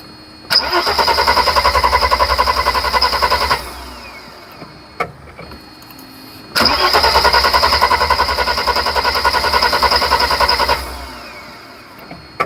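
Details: 1991 Mercedes 300SL no-start: with fuel pressure present and a smell of fuel, two 3–4 second cranks at a fast, even starter rhythm, but the engine never fires. The owner wonders why fuel is not getting through the injectors.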